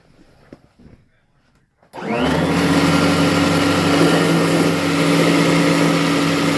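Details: Kirby Heritage vacuum before repair: motor spins up to strained hum with rough dragging undertone, burning belt smell; cracked rotor/fan impeller creating drag and belt slip.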